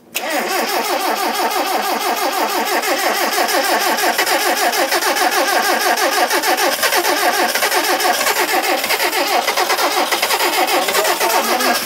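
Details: 1978 Mitsubishi Colt Sapporo, laid up since 1993, repeated start attempt, cold, with fuel primed: rapid, even starter chugging that never catches; it cranks without starting. Moments later, with a bit of throttle, it started smoothly.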